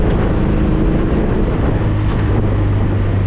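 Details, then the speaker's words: 1973 VW Thing on first drive after brake bleed and fuel system install, cruising in third gear: steady low drone under wind and road noise, even and unbroken, no knocks or misses; normal cruising. "Engine came around, it sounds healthy as, all get out. But I'm just cruising in third right now."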